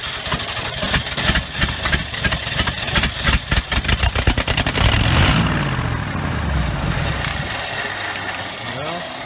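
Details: 1969 Ford F250 first start after 11 years sitting: uneven cranking chuffs, engine catches briefly on fuel, surges and dies, won't keep running; a large disconnected vacuum line at back of engine heard sucking is suspected as part cause.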